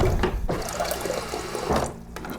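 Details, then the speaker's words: Refrigerator water dispenser after fixing the new-filter hammering by wedging a folded paper towel behind the slightly short replacement filter: smooth, even splashing stream, no banging; good pressure, still working two weeks later. "No more hammering sound. Getting nice water pressure. And it's fixed."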